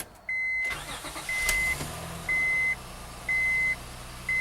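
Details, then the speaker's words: 2004 Honda Pilot after starter motor replacement for intermittent no-crank: once-a-second warning chime throughout, starter spins briefly, engine fires promptly and settles into a smooth quiet idle. "that sounds good"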